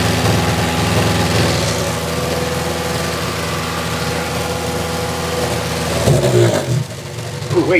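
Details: 2006 Toyota Matrix 4WD revved hard; exhaust forward of muffler replaced within two years, noise from rear. Dull, choked note that never opens up cleanly; owner suspects the muffler disintegrating inside, restricting flow. A small leak was later seen at the muffler clamp joint.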